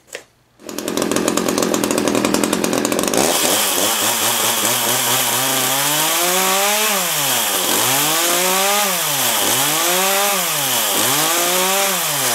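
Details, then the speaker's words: Echo CS-330T two-stroke chainsaw after replacing old fuel (water found in tank) with fresh gas: starts readily, sharp steady buzz rising and falling evenly with throttle blips, no bogging; runs pretty good. "that's it fresh gas runs pretty good we'll let us clear its throat later"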